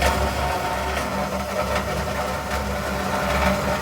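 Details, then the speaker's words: GE top-load washer model GTWN4250D2WS makes a steady rough grinding rumble while agitating loaded with water; the tub rubs because the suspension shocks are worn out, not a bearing issue. "well the problem with this washer is that the shocks are worn out"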